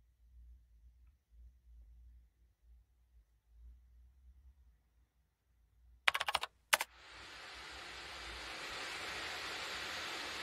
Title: MSI Laptop Fan noise 🌋